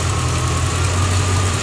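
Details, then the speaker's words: 1986 Corvette L98 TPI 5.7L V8 after cleaning a clogged plenum EGR port for EGR code and failed emissions; deep, even idle rumble, steady beat, no misses or rattles, sounds like it's idling properly; normal idle. "but it looks like we got it back together right so I guess next step is to go to the admissions test center sounds like it's idling properly"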